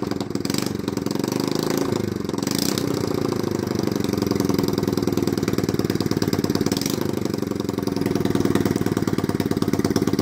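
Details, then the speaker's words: 1983 Honda C70 barn find, first start in about 26 years after draining old petrol and adding fresh fuel, compression good: small single settles into a quick, even putter with no knocks or misses, idling steadily and healthily. "that was genuinely the first kid had in 26 years hold on Honda well done"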